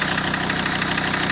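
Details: SsangYong Rexton 2.7 diesel at idle: sharp, regular, evenly spaced knock persists; service blamed injectors since the sound vanished when injector connectors were unplugged, but the knock remains, cause still unknown.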